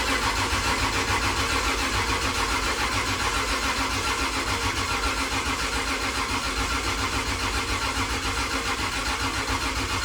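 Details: Freshly rebuilt 2JZ in a KE70 Corolla, first crank on the starter to build oil pressure: slow, labouring pulses about two a second on each compression stroke. High compression and a borrowed battery struggle to turn it over.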